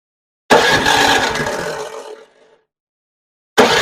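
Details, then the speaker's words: Newer TroyBilt snowblower after repair and reassembly, started with key on choke: catches with a rough, lazy rattle, then sags and fades instead of reaching full speed; runs slow, owner suspects throttle setup. "okay she's not running very fast yeah she runs but she's not running very good so it sounds like the throttle's not set up right"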